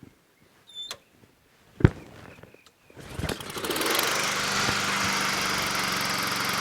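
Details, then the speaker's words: Honda HRT216 push mower after carburetor cleaning, tried on and off choke and with carb spray: a few pulls then long cranking with no engine taking over; owner suspects overly potent fuel treatment in gas, failure to start. "Choke off. It's very unusual for this not to work. Off choke. Very unusual. I don't get it."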